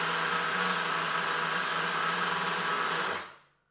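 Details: Nitro RC two-stroke engine, first start after 2 years: high buzzing scream with a slightly wavering beat runs about three seconds then cuts out; uneven running from poor mixture adjustment, later corrected.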